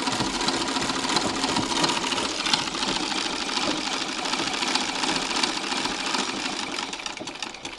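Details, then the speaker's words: Treadle sewing machine, rear view, after repacking Pitman rod upper ball bearings with Vaseline: light even whirring at steady treadle pace, no metallic knocking; much quieter than before. "but that's the back view and it sounds wonderful now much quieter than it was let me just get it going so that's the noise of the machine"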